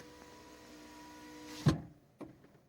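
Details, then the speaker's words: Fiat 500 power window motor hums steadily, then ends in a sharp knock and a second thump when closing or opening the window; strange knocking noise before repair. "ento and when I try to open or better when I try to close the to close the window um I hear um some shots."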